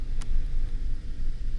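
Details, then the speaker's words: 2014 Ford F-150 3.5 EcoBoost after fixing the coil connector and clearing codes; steady even low rumble with no stumbles, no misfire. "La troca está jalando al 100, bien parejita, no hay ningún missing fire, es está toda máquina."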